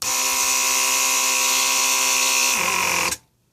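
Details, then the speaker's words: Early first-generation Mercedes 500SL R129 door lock vacuum pump with replaced motor, bench tested: steady high electric buzz for about three seconds, then stops cleanly as membrane switch deactivates; normal vacuum pump running. "with my finger longer I hold it more vacuum creates and more pressure creates so there's a switch membrane switch that goes up and down inside the pump behind this board so it activates and deactivates"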